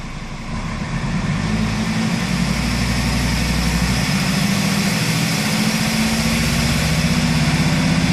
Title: bruit moteur chaud arret mercedes c270 cdi bridage 3000 tours